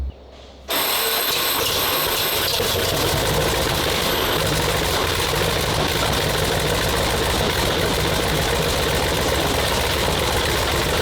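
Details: WWII tank radial petrol engine, turned over 55 turns by hand first, started on both magnetos with starter and booster coil: quiet crank catching instantly into a loud, steady, clattering run with an even beat and distinctive note; normal start and run.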